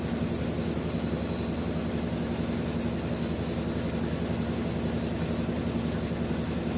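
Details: Whirlpool top-load washer WTW4816FW3, bought new July 2023, circuit board already replaced: steady low drum rumble with a dull beat near three per second as it runs a second, longer spin cycle without releasing water, after loud grinding.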